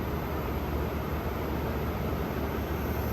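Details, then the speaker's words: Frigidaire Gallery GHWQ103WC1 10,000 BTU inverter window air conditioner, compressor believed GMCC single-chamber rotary: soft even hush and faint low hum, no knocks or rattles, 17° split while head pressure builds; compressor very quiet, normal running. "compressor is very quiet this is I believe it's a gmcc rotary not 100% sure what this one is but it's a gmcc rotary"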